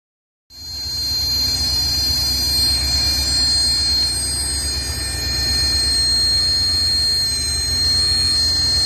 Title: Ford F250 squeal noise under the bonnet.